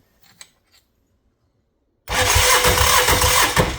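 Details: Yanmar 570cc two-cylinder diesel, with the starter held engaged with a wrench: the starter spins the engine with even chuffs about four a second but it never catches; cranks without starting because the glow plugs are not powered.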